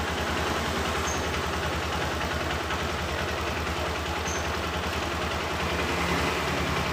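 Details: Honda Verza 150cc single, in for a dead starter and occasional stalling: idle thumping at a steady, slightly uneven beat, no knocks or rattles over the background.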